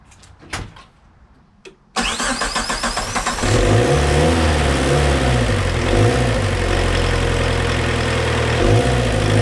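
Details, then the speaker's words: Suzuki Samurai with 1.6 VW turbo diesel, injection pump just primed, tank of dirty yellow diesel: after cranking bursts it catches into an uneven, lumpy idle; owner blames the bad fuel, not confirmed. "all right so there it was running like I said it's not running too happy it doesn't like that diesel that's in there right now"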